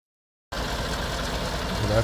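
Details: 2017 Chevrolet Silverado 5.3 V8, 25,000 km, AFM deleted, P0324 knock code, number four pushrod bent again with lifter ticking; at idle after valve cover reassembly it settles steady and even with no ticking, mic near driver then passenger side.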